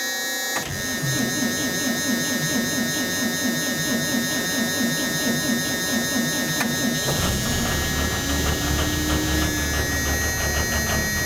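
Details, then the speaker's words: 2002 Thomas Freightliner FS65 school bus, 5.9L Cummins diesel, Allison 2000 transmission, 155,000 miles, cold start after waiting on the intake grid heaters: fires uneven and lumpy for several seconds, then revs rise and it smooths; runs really rough and starts hard. "Oh wow, it's running rough. It's running really rough."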